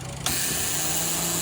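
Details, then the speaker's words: Daihatsu Mira idling: when AC switches on, quiet idle turns to loud, steady mechanical clatter and hiss from a noisy AC compressor; compressor and worn condenser to be replaced. "अब यह देखि जैसे हमारा AC on हुआ कंप्रेसर आवाज कर रहा है न"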